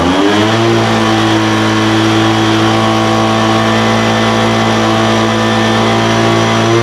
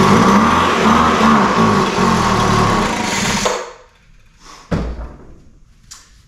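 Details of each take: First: Poulan Pro 200 mph two-stroke leaf blower, received as a non-runner, after carburetor adjustment: idle mixture leaned out from too rich and top end tuned. Picks up and holds a steady, clean high-pitched buzz with no surging or stumbling; running normally. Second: Poulan Pro 200 mph two-stroke leaf blower, non-runner, fitted with a replacement spark plug and given a start-on-spray test. Fires and buzzes hard for about three seconds on spray, then dies; spark and compression are fine, so fuel starvation from carburetor and fuel lines.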